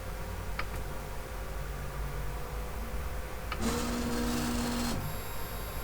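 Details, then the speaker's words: 3D printer X carriage with new webcam bracket, during homing/levelling: short motor whine with coarse rumble as the carriage travels; owner suspects a linear bearing on the smooth rods, possibly a lost ball, recently greased; unconfirmed. "You know this noise, I'm pretty sure it's the linear bearings rotating in at least one of the bearings, and it's so bad it's making me think that somehow one of the balls has come out and they're very loose."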